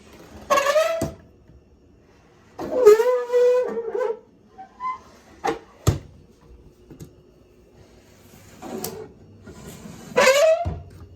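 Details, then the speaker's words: Kitchen drawer with dry metal slide hardware gives loud, shrill squeals each time it slides, before lubricating with a Door-Ease lube stick. "drawers in our kitchen have a terrible squeak. Here, check it out."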